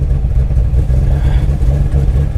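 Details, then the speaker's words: Copart auction Camaro SS V8, listed non-runner with no key detected, starts immediately and settles into a deep, smooth, even idle with no knocks or misses; normal start and idle. "I find cars out here all the time that say they don't run and they'll fire up immediately you just got to put a jump pack on it"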